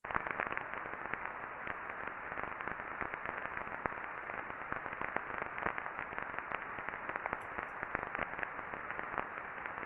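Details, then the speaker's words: Ultrasound reading on the non-drive-end bearing housing of a motor before greasing: dense, irregular crackling and popping over a hiss, friction from lack of lubrication; smoother after greasing. "so everyone should be able to hear that Telltale crackling of the friction"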